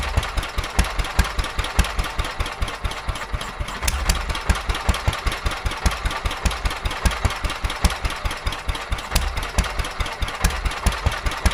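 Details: Petter A11 (A1 series 2) vintage single-cylinder stationary engine, owned 12-13 years, stored damp in a container for four years, first run after revival: slow thumping beat that stumbles and skips, running rough; owner suspects fuel starvation from dirt in the carburetor.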